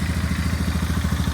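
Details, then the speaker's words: 2002 Polaris Sportsman 500 (425 converted to 500) after rebuild with new stator, CDI, fuel pump, fuel lines and adjusted carb, first start: steady even single-cylinder thump, no misses; normal idle. "This is my first time starting it up. Runs beautiful."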